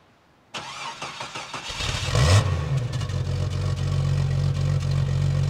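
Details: Jeep Cherokee 4.0 L petrol after fitting a stainless manifold and a new fitting to cure a leak: short crank, catches, flares and settles into a smooth steady idle with no ticking or puffing; the leak noise is gone.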